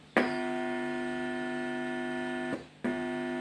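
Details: 2.1 home theater system with 2030 amplifier IC, at switch-on. Steady low harsh buzzing hum through the speakers, dropping out briefly then returning. Amplifier sound fault; repairer suggests replacing the IC.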